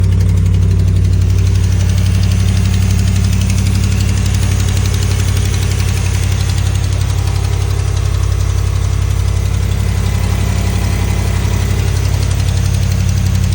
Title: Lifter tick? July 18, 2025